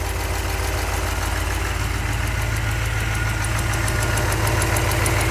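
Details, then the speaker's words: 383 stroker V8 in a truck, after rebuild, idling cold during warmup outside: light quick ticking over the low rumble from a couple of small exhaust manifold leaks; gaskets used instead of RTV because the manifold was chewed up. "sounds good couple of small exhaust leaks ii's gaskets instead of RTV this time because i chewed up the manifold"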